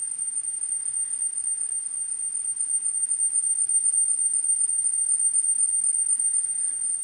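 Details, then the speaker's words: 1983 Pioneer CT-540 cassette deck during repair: a steady 10 kHz test tone whose brightness rises and falls as the playback head azimuth screw is adjusted for maximum treble, correcting a misadjusted azimuth. "So we've got a 10,000 Hertz signal going. We have a noisy audio cable, and we have a screw that I can't get my screwdriver on, so there we go. And like always, we want as high pitched as we can get it."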